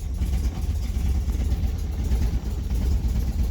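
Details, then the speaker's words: 1964 Austin Healey 3000 Mk 3 straight-six, cold start on full choke after sitting many weeks, starter freed with crowbar: low, lumpy, stumbling idle, not yet firing on all six cylinders; cold-start misfire. "so close but it's not yet running on all six"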